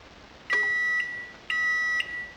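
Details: Repurposed microwave oven timer controller after adding and subtracting 20 seconds while running: three clean high half-second beeps about a second apart; timer counts out and signals normally.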